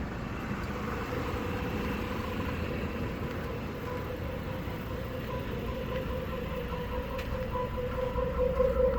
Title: 1986 Chevy El Camino 4.3L Weird Noise From Tailpipe. What is it?